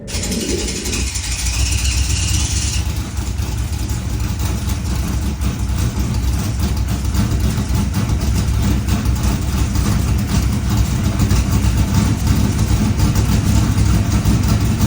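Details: 1977 Corvette C3 V8 after a cracked intake manifold causing a vacuum leak was replaced and the carb rebuilt: it starts into a loud, deep, slightly uneven loping idle; timing issues suspected.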